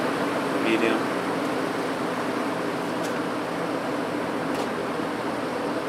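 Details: 1950s General Electric automatic reversible box fan, before cleaning, reversed on high. Smooth even rush of air, steady tone, no ticks, rattles or wobble; running healthy.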